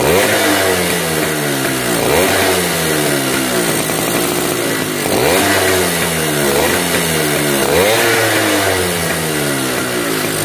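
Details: Yamaha V80 two-stroke motorcycle after repairing a compression leak at the cylinder head and replacing a worn part: buzzy engine revving up and down about every two seconds, picking up cleanly each time; runs normally after repair.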